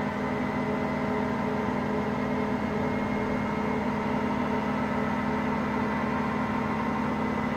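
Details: Hotpoint Aqualtis washing machine on spin: a constant low roar with a steady hum and no knocking yet, as drum bearings that only started failing today begin to wear.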